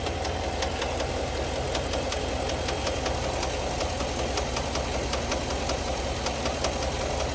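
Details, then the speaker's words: GMC Sierra 1500 SLT about a week after purchase, at startup: sharp, fairly regular ticking about once a second over a steady V8 idle, with the truck shaking; owner reports engine failure, noisy lifter suspected. "can you believe the engine failed just one week after buying the truck and every time I started the engine it made a strange noise"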